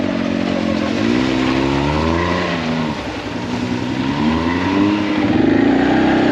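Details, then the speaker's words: Can-Am Maverick X3 after fitting the correct secondary clutch spring for 32-inch tires: engine pitch rises and falls smoothly with throttle, no flaring or slipping surge; CVT belt grips properly. "it wouldn't even slip it the motor like cut out that i was making it force too much for the gearing and it asked for low gear that's the first time i've ever seen that i've never been asked for low gear so the belt really really doesn't slip so i guess"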